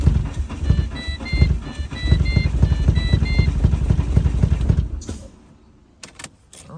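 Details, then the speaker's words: Neglected skid car, seized engine just freed, plug leads recently swapped after being in the wrong order: rough lumpy running with uneven thumps and missed beats, an extreme misfire; owner suspects possibly oil in the manifold, cause unconfirmed. "that's not good. Don't like that sound. I can smell some stuff. I don't know. Could just be a bit of oil in the manifold, but something is not right. It's like an extreme misfire."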